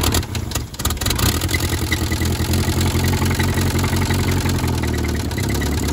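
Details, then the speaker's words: 1972 Toyota Celica 18RC, first running in 26 years after an original carburetor rebuild, in cold weather around 30–41°F. Steady low idle with a loose, uneven clank about three per second. No blow-by; owner suspects an exhaust leak and plans to replace the exhaust and intake manifold. "sounds a little bit clanky but once we get that changed out it will sound better"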